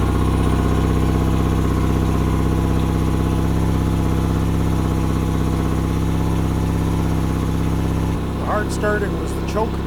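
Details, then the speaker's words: Yamaha outboard on a 1980/81 Sun Tracker pontoon, running on a water flush during spring carburetor cleaning: idles steadily, then the beat collapses and it dies; fuel starvation from a closed tank vent, primer bulb not firm. "of course it might help if I had the fuel vent open bulb wasn't soft let's fire it up and try it again"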